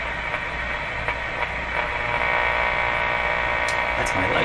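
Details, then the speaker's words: Philco 38-C7 tube radio tuned to shortwave around 9 MHz; a steady buzzing hum over the hiss, identified as picked up from the shop lights. Radiated hum interference from shop lights. "okay yep my lights have their own broadcast frequency"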